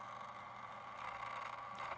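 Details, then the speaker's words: 1970 Panasonic RQ-209AS cassette recorder in fast forward after new belts and lubrication (previously weak, with dry squealing motor bearings): steady, even mid-pitched whir, no squeal or wavering; very strong, normal fast forward. "very very strong after new belts"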